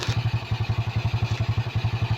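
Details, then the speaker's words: SYM small single-cylinder scooter idling after a new CDI was fitted: even thump about ten beats a second, steady and unbroken; normal idle. "Try natin paandarin pangander na siya. Ayan kita niyo umandar na. So umandar na siya guys."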